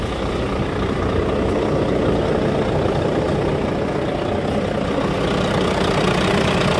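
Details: Volvo D13 dump truck engine, hard starting after 5-10 minute shutdowns, after replacing faulty one-way valve, pressure return valve and both fuel filters: starts on one click, steady even diesel idle, low rumble, no misses or knocks.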